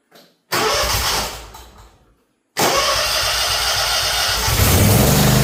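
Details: Zero-turn mower just after an oil change, started to fill the filter: it fires right up, runs, is shut off, then restarts instantly and holds a smooth, steady idle. The engine sounds healthy.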